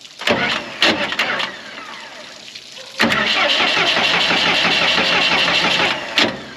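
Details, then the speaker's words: Morbark 2400XL track chipper's 4BT diesel, bought at auction sight unseen, cranked with battery jumped to ignition and throttle in: repeated bursts of about three seconds of steady starter churning, but it never fires; no fuel reaches the injectors. "Get any fuel? Nada. No fuel yet. Okay. So we got a no fuel issue."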